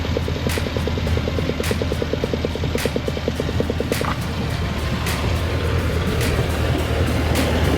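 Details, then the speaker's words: 2017 Mercury 90hp Command Thrust four-stroke outboard after an IAC valve replacement cured its 6-beep alarm. The revs are raised and the deep, even drone climbs and holds; the engine pulls cleanly and is out of Guardian mode. "seems to be pulling ping good our RPMs increase yeah we're out of Guardian mode that's the important thing to know"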